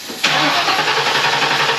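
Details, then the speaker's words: 1994 Ford Mustang GT, not started in six years, suspected bad gas: sudden loud burst of engine noise when starter fluid is sprayed into the throttle body while cranking; runs only on fluid, so fuel pump is bad. "so if it's got fuel it's gonna start and that's gonna run we don't know for how we don't know what other problems we're gonna have but for sure um fuel pump is bad"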